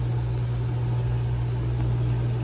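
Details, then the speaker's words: Radiant heating circulator pumps in a large home with non-working zones; loud constant low buzzy hum, both circulators sound terrible, amp draw to be checked. "but this circulator and this circulator both sound terrible so I'm going to pull the covers off to an amp draw on the circulators"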